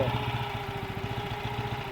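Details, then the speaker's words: Briggs and Stratton factory mud motor being revived: uneven, lumpy idle with unsteady pulses, not holding a clean idle; it had been backfiring, improving as it runs, and owner suspects the carburetor needs cleaning or a kit. "foreign so hopefully you can hear me like I said it's ruining everything but it ain't idling quite right but lower end's good I checked forward reverse all that's good it was backfiring it kind of wants"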